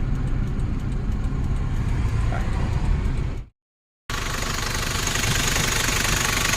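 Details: 1994 Nissan Big M with BD25 2.5L four-cylinder direct-injection diesel, started easily: steady, even diesel clatter at idle with no odd knocks or misses; engine sounds healthy.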